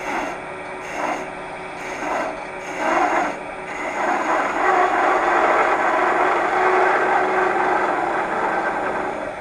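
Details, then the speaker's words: Wood lathe cutting a 2x4 with a detail gouge that is getting dull: a rough rasping cut with rapid, uneven chatter; the gouge needs sharpening. "oh I said we were going to look at the detail gouge which is chattering so it's getting though"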